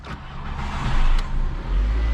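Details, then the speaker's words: VW Bora first start after power steering line install, fluid bleeding and new battery: engine catches quickly and settles into a steady, even low rumble, no misses or knocks; sounds healthy despite two warning lights on. "car she purrs like a beast so yeah we have two lights on"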